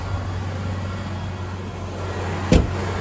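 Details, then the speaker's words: Ford Ranger 2.5L four-cylinder just after fuel injector replacement, fuel primed four times before start: steady, even low hum with no misses or knocks and one brief click; idling smoothly. "All right, I've primed it 3 times. Let's prime it one more time and then start. Okay, running well. So far, so good."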